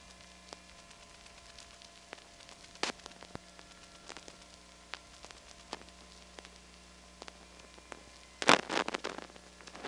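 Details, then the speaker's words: Atlanta Trinity step-by-step telephone exchange, recorded January 1979, with the volume turned up: a faint steady hum on a quiet line broken by scattered, irregular clicks and snaps. Step switch noise and power supply buzz. "I'll turn up the volume here you can hear a bunch of step noises and a power supply buzz"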